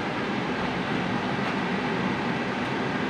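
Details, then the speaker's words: Outdoor AC unit with the compressor running after the indoor fan motor got a new capacitor: even, steady hum with airflow rush and no knocking or rattling. The outdoor unit runs normally. "Ito yung outdoor. Maandar na yung outdoor. Pero yan, umaandar talaga."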